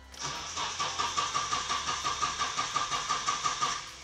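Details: Nissan 240SX after an engine swap: the starter cranks steadily at about three turns a second with no firing. The engine cranks but won't start because the distributor was set 180 degrees out.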